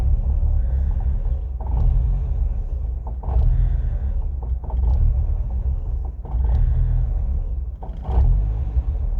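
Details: 2000 Ford Fiesta MK4 1.3L 60hp Endura petrol: unstable idle surging and sagging about every two seconds, nearly stalling then stalling; fault codes on MAF/intake air temp sensor, replaced without fix, air temp reads fixed -40°; cause unknown.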